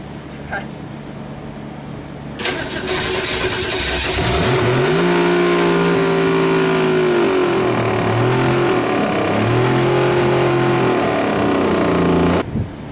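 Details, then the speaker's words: 1962 Ford Falcon engine after rebuild, failed during break-in: revs up and holds with a steady, fairly regular pretty bad knock; engine not yet opened, first thought to be valve cover/rocker; crankshaft striking a dented oil pan. "haven't opened up the engine or anything but that kind of sucked that uh there's a pretty bad knock"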